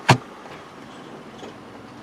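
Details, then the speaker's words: Automatic transmission after adding Sea Foam transmission fluid treatment, idling with parking brake on while cycling through gears: one dull clunk as reverse engages, then smooth shifts with no grinding or slipping; cause unknown. "as I said as I cycle through all there's a little bit of a clunk on the reverse I don't know if that's just because I was parked but you can hear that kind of clunk right there"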